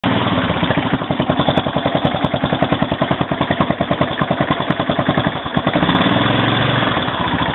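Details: 2001 Yamaha XT600E single at 27,455 km idling at low rpm: thumping beat with a faint light metallic ping on each firing pulse; owner wonders if something is wrong, source unconfirmed.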